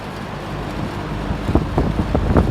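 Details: JCPenney 9705 box fan, a Lakewood relabel, on high speed: steady airy whoosh with a low even hum and a few handling bumps late on. Runs smoothly with no rubbing or rattles.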